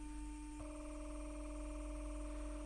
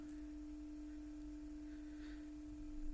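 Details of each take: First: Panasonic Cobra RX DT-75/DT-95 speaker after surround replacement, 300 Hz tone with 20 Hz added for large cone travel: steady mid tone turns rough and buzzy; distortion because the voice coil leaves the magnetic gap even at moderate excursion. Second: Panasonic Cobra RX DT-95/DT-75 speaker after surround replacement, playing 300 Hz with 20 Hz added for long excursion: pure, steady hum with no rattle or buzz despite a slightly unglued spider; no distortion.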